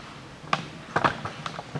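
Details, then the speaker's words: 2013 Mitsubishi ASX, 1.8 petrol, CVT, front-wheel drive, 220,000 km: dull hollow clunks about twice a second as the body is rocked side to side, from worn front stabilizer links on both sides, due for replacement. "заменю на нем стойки переднего стабилизатора сейчас покажу как они стучат здесь в принципе даже и перекаты не нужны но определяется это покачиванием автомобилей стороны в сторону"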